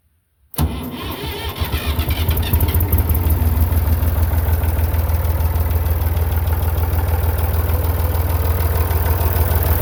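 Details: Massey Ferguson 35 Perkins diesel tractor after a cheap partial rebuild: silence, a brief crank, then the engine catches and settles into a steady even low chug; normal start and idle.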